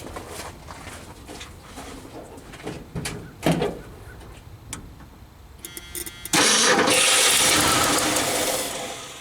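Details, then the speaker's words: 1976 Ford F-250, 390 FE with Holley 600 cfm 4-barrel, T-18 4-speed, sitting since 2013, on battery charger: cranking and clunks, engine catches with a loud roar then fades; fires briefly but won't keep running, owner suspects old gas. "all right guys we got fire D up yeah yeah yeah yeah I think my gas has been sitting too long one"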